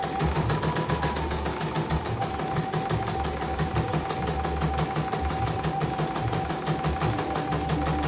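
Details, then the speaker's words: CNY embroidery machine (M21 label; owner's note: heavy rotation, just back from another service, unusable) sent in fully jammed; test run after repair on small frame, cover closed: steady, even stitching tick, no drag or skipped stitches, normal running. "Oke, jahitan juga bagus ya, kita lihat tidak ada yang loncat."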